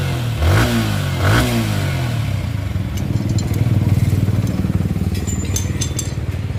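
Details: Yamaha R15 V3 after repair of a top-end tik-tik noise: two sharp throttle blips, then smooth, steady idle with no ticking; engine now quiet. Normal running.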